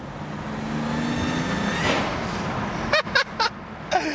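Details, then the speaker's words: BMW 335i wagon swapped to N54, first drive on stage two tune, windows down; high thin whistle rising with boost like blowing on grass; owner suspects a loose coupler or boost leak, unconfirmed. "i hope you guys can hear that it's like someone's blowing you know if you blow like on a piece of grass you can make it whistle that's exactly what it sounds like right now or like a whoopee cushion a really high-pitched whoopee cushion"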